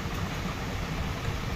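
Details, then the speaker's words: Maruti Suzuki WagonR CNG car after CNG pressure regulator filter service; engine previously shook and misfired and would not convert to CNG, now converts: smooth, low, even idle with no missing beats or shake; normal idle. "पहले engine बहुत हिल रहा था missing हो रहा था अभी देखि perfect है"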